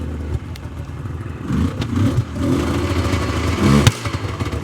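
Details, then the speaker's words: 1999 Yamaha Vmax 700 triple two-stroke snowmobile with about a quarter tank of fuel, choke just taken off: runs rough with irregular pops and thuds and won't open up, then idles down and dies. "here popping [Music] [Music] definitely uh not running great not opening up very good"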